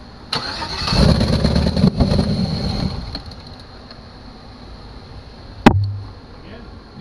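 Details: 2006 GMC bought cheap as non-runner, temporary setup without air filter: starter whirs, engine catches with rough uneven rumble for a couple of seconds then cuts out; cause unknown, owner wonders about anti-theft.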